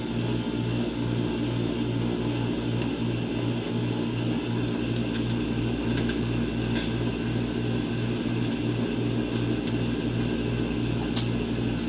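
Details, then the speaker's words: Hammond tool grinder with new eBay Chinese bearings: loud rough drone with a steady throb about twice a second; a new bearing is failing and pushing its grease out both sides. "awfully noisy yeah that doesn't sound good at all"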